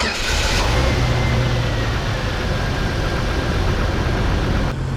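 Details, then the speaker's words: 1997 Jeep Wrangler TJ that cranked but would not start, after replacing the crankshaft position sensor: the engine catches quickly and settles into a steady, even idle with no stumble or misfire. Normal start. "and it started pretty good"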